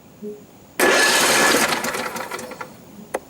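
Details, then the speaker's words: Flood-damaged Husqvarna being tested with spark plugs removed, cranked from the ignition switch without firing: strong, even starter whirr at healthy speed, no grinding or dragging. "there's still no spark plugs in it so it's not going to fire we're just interested in whether or not it's going to crank over off the ignition switch"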